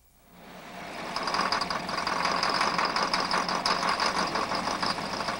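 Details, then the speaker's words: Engine knock (detonation) caused by reduced fuel octane, with operating conditions otherwise unchanged: sharp metallic pinging rattles over the running engine, an abnormal combustion that wastes energy and limits compression ratios. "this is the sound of automobile engine knock the abnormal combustion phenomenon that wastes energy and limits engine compression ratios even with today's improved gasolines"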